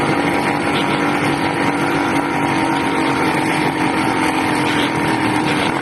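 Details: 80cc two-stroke engine, loud and buzzy, held high and harsh without settling; owner suspects a carburetor problem with an air leak at the intake manifold, not confirmed.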